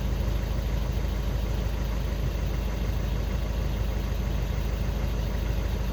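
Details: Skoda Octavia 2 diesel after crankshaft sensor (G28) replacement and fault clearing, cured of no-start/hard-start with glow plug light: smooth, low diesel idle in an even rhythm, no stumbling or surging; steady, healthy normal idle.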